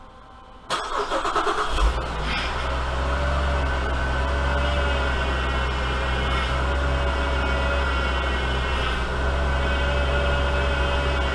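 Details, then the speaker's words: 2010 Chevrolet Traverse GM 3.6 V6 after timing chain replacement, first start with fresh oil: cranks and catches at once, settling into a smooth, quiet, even idle with no ticking or chain rattle; sounds healthy. "running so I've got fired up pretty quiet too so good deals"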